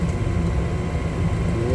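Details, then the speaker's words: 90% gas furnace previously cycling on and off, after the fix: the control board kicks in, the sensor signals, and the blower runs with a steady, even, unbroken whooshing hum, no surging, no longer shutting off. Normal blower operation. "the switch than gu yep turn on waiting for the blower it's not turning off anymore I as long Flor now I can hear the uh control board kicks and sensor send signal I'm ready blower start soon"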